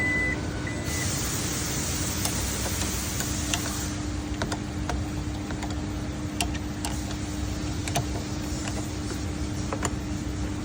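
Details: Toyota Yaris Cross power tailgate opening loudly: a steady motor hum with sharp clicks and creaks popping in as it opens; cause suspected but not confirmed.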